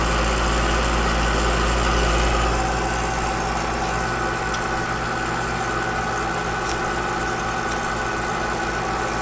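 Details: Alliance scroll compressor on outdoor AC unit found with almost no refrigerant: heavy steady drone pulsing about four times a second with a rough edge, scroll plate noise; low refrigerant charge, technician suspects liquid getting back.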